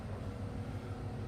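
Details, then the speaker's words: Mitsubishi Pajero engine with a serious knock: quiet but regular low thuds about six per second over the engine hum; suspected spun or worn bearing shell, oil pan to be removed, engine likely pulled. "добрый день ну вот застучало на двигатель что-то тарабанит очень серьезно будем сейчас"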